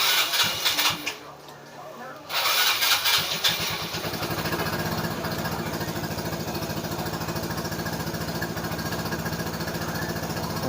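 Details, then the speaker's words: Yamaha Mio Sporty scooter, carburetor recently cleaned: quick regular cranking fires into an uneven, struggling run after several tries; hard starting from a carburetor and hose air leak, fix is replacing the hoses and sealing the carb leaks. "nyo mga paps, ito share ko lang sa inyo konting kaalaman lang para malaman nyo, i-check nyo lang yung carb nyo singaw check natin, papalitan natin yung mga hose natin at yung mga tagas ng carb kung saan dun sa hose ang singaw."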